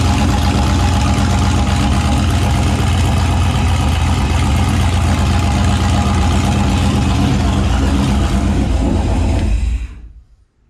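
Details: Turbo 5.3 LS V8 Mustang build, first successful naturally aspirated startup after fixing a weak-battery starting issue and swapping the passenger-side injector harness wiring; catches and holds steady even rumble with throttle blips, then shuts off cleanly, normal idle.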